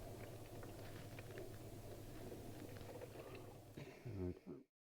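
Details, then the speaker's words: Hotpoint 6834 dishwasher, over 20 years old, after drain-pump repair for not draining, pre-wash: second fill, soft even trickle into the tub, no gurgling, dripping, leaks or pump strain; normal fill. "there's certainly no leaks there anyway as you can see fill number two which is now trickling into the tank"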